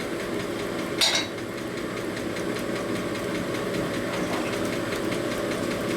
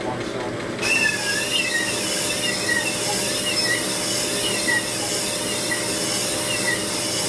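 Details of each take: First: 1978 Harley shovelhead cylinder being honed; busy rattling chatter over the spindle hum with one sharp squeal, as these stones chatter and scar the bore surface even with the cut pressure reduced. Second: 1978 Harley shovelhead cylinder being honed; continuous hissing scrape with sharpening chirps as more pressure and finer grit make the stone dig in and cut harder, normal honing progress.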